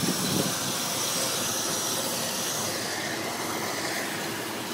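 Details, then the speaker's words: Dodge truck running rough with an intermittent steady sucking hiss from under the intake, a possible vacuum leak. The distributor is also suspected. "And it's also going making a noise under the hood. I know you can't see anything, but just listen. That sucking noise is coming right from under the intake."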